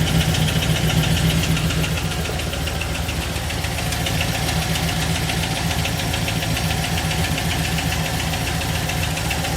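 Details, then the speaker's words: Engine at idle, heard from underneath: rough uneven knock three to four times a second; owner guesses bottom end, no fluid leaks; scan shows cylinders two and one misfiring; cause unconfirmed. "But down under here. If I had to guess, it's coming from the bottom end. That's where I can hear the noise the most."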